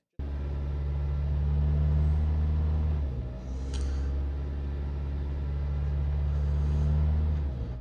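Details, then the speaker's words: 2004 Toyota Corolla (1ZZ-FE, 5-speed manual), engine fully cold in Iowa winter, idles high and surges, tachometer swinging up and down, clearing after a few minutes of idling; owner suspects intake manifold gasket, throttle body or idle air control valve. "okay it's doing it right now and you can see as you watch the tachometer up and down up and down and then it'll clear up after a few minutes of idling"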